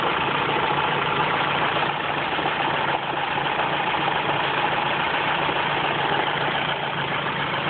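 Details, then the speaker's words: Ford Focus engine at steady idle with a light knock that comes and goes, seemingly from the top end; cause not confirmed. "comes and goes. There it is again. Now quiet, for the most part. And there it comes. Sounds like it's coming from the top end, and it's certainly top end speed."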